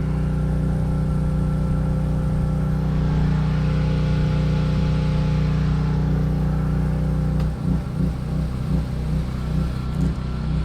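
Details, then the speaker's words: Duromax generator running heavy household load (refrigerator, microwave, well pump); steady governed drone sags and turns rough and lumpy as the well pump kicks in, but it keeps running and copes fine; normal running under heavy load. "okay it handled it no problem i don't know about no problems but okay"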